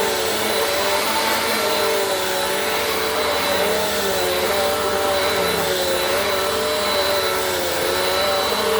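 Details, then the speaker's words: Bissell PowerForce Compact model 2112 vacuum, 5.5 months old, after repair: even, steady motor whine with smooth airflow rush, no rattles, grinding or speed wobble; sounds like brand new, running healthy. "how about that for a little baby vacuum 5 and 1 half months old little impressive what TLC can do let's hear that one more time sounds like brand new ladies and gentlemen there you have it"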